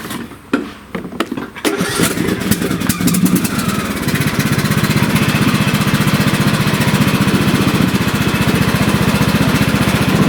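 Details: About 10-year-old John Deere D110 lawn tractor, test run after drive belt replacement (was slipping and smoking), deck on: fires after a few rough turns, settles into steady even beat, no slipping squeal or knock; runs healthy.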